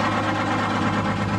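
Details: Crown school bus, Detroit Diesel two-stroke 71-series that reportedly ran away: heavy diesel idle with a slightly lumpy, uneven beat; one cylinder not firing, injector suspected fused closed, swapped, smoke seemingly improved.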